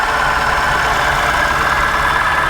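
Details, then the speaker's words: 1965 International Harvester 1200 at salvage auction, idling with heater off; harsh rough midrange rattle with uneven beats, intermittent misfire; owner suspects a pulley problem, unconfirmed. "that sounds awful and it goes into gear and it moves but what is that noise"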